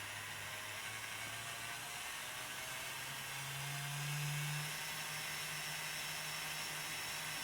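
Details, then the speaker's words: Bachmann 4CEP EMU model train (DCC-programmed), motor run at about 3/4 speed up to max: airy hiss and low hum climbing in pitch, loud whirring; owner suspects old grease, plans to clean and repack with grease and oil, before service. "So that's at a reasonably low speed. Perfectly fine. But then as you increase it, you get that whirring noise. It's about 3/4 speed"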